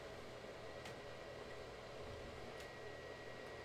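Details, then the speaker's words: Console cooling fans running, loud but not getting louder, spinning fast and keeping the unit cool, not hot: quiet steady airy whoosh with a faint constant tone, no rattles or surges; normal fan operation. "I think is loud but it's not getting any louder though the fans are pretty much allowed us that's gonna get so I don't think it's gonna run ring though I think that the fans are spinning fast and it's keeping it cool it's not hot or anything"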